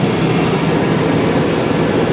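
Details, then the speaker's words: 1999 GMC Sierra, 5.3 Vortec V8, at idle; valve covers leak slightly: steady, even rumble with no knocks or misses, runs like a top, smooth healthy idle. "Runs like a top. Sounds great."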